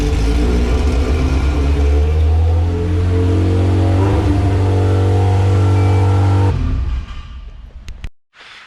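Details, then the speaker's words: All-motor LSV Honda EF hatch on Hondata S300, throttle body adjusted out: holds a fast, steady idle well above normal before shutoff; idle speed too high, throttle stop opened too far, to be adjusted down. "that was too high so i'm gonna adjust it down some and get to a comfortable spot"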